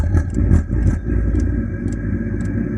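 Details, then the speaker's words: Chinese diesel heater with new resealed exhaust, after switching back to another fuel tank to address suspected fuel starvation: steady low combustion roar with a light fuel pump tick about three times a second, even and smooth; runs fine. "That sounds better. So we might have overcome the fuel starvation."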